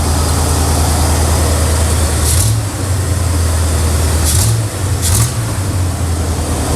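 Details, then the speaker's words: Square-body truck with Oldsmobile 350 Rocket V8, slowly warming up, idle not yet tuned, choke missing its stovepipe, exhaust broken near the headers: deep steady rumble at an even fast idle, no knock or miss; normal fast idle. "And it's idling high like that because I'm sure we gotta tune in on the idles. And then not to mention the choke, it's not going to warm up like it's supposed to because it doesn't have that stovepipe going down into the intake."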